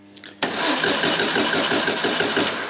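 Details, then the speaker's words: Van Diemen RF85 race car engine starting after a rebuilt starter shaft was fitted, battery a bit low: short crank, then it catches cleanly into a steady, even run with no starter grinding; normal start. "that sounds good"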